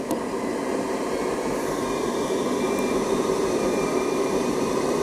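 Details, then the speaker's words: Hotpoint Aqualtis dryer, modified by Hotpoint according to the owner, jockey wheel pulley already replaced: steady whooshing drum rumble building only slowly as the stretched drive belt slips; belt needs changing. "It's taking ages to speed up because actually the belt needs doing. Now, I've changed the pulley and didn't realise the belt's also stretched, so the belt stretch and needs changing."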